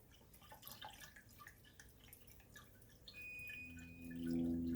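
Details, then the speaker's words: 1983 Mercedes 300CD coolant refill after thermostat work, filling through the removed upper radiator hose: quiet gurgling and irregular bubbles glugging out as trapped air purges from the self-bleeding cooling system. "oh it's taking a good bit you can hear the bubbles coming out of there"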